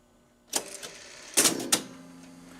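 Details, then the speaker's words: Rock-Ola 424 jukebox changer after home switch fix: sharp clicks and clunks as the mechanism selects, magazine turns, gripper arm transfers record, then smooth low motor hum; working properly. "so right in kicked a little lever over now the readout is looking which turns the magazine at the same time should catch it transfers to the gripper arm lays it down and it's working now"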